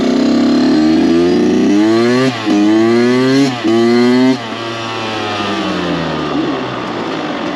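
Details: Rebuilt Kawasaki KX 85 two-stroke ridden after first start, taken onto the pipe at full throttle; crisp wail climbing and dropping through repeated pulls, no vibrations, knocks or rattles, motor pulls strong and shifts crisply; normal engine revving.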